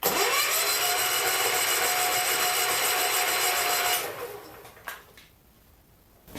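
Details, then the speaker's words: John Deere 110 garden tractor pulled from scrap: steady starter whir with faint whine, engine never catches; test light on the coil's negative (points) side dims but doesn't flash, so the points aren't working and there's no spark. "if points are working that light would flash and it dims down but it doesn't flash that would be why we don't have any spark definitely don't have any spark"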